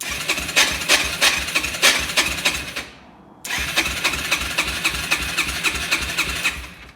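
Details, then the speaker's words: Yamaha TTR-125 dirt bike that has been sitting a while cranks in two uneven bursts with no firing, even with choke; starter sounds worn; won't start or stay running. "we got a TTR 125 here does not want to stay running or even start in general"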